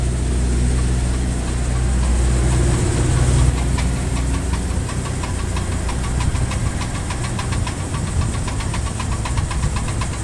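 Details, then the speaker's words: Damaged CV joint: rapid steady clicking, about four per second, over low engine rumble as the car creeps forward or reverses at full steering lock. Silent on normal turns; may bring steering-wheel or cabin vibration. "pero comienzan a sonar muy fuerte cuando estás en el último trayecto de giro casi cuando el volante ya no da más y comienzas a avanzar o echarte de reversa se escucha como esto"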